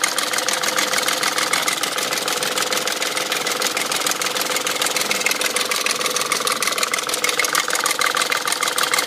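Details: BMW M62 V8 at 510,472 km idling with a fast, uneven metallic ticking clatter about three times a second over the run; owner suspects worn timing chain guide rails, not confirmed.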